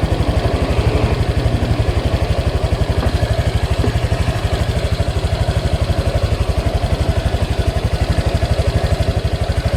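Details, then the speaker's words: Honda Click 125i/150i scooter after a magneto/stator refresh and repaint, warm with the fan blowing well: smooth, even single-cylinder idle, now quiet with no knocks or rattles; cooling good, running healthy. "So, yan na siya mga Pops. Ganda na ng ano ni Pops B-Boy, tahimik na. So ito, okay na siya."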